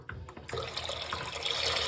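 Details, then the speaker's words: Soft steady hiss of running water with no drone or clunking after the dripping kitchen sink tap is isolated; the foghorn pipe hum traced to that tap has vanished. "byebye noise clunking pipes and this is the cause of all that noise"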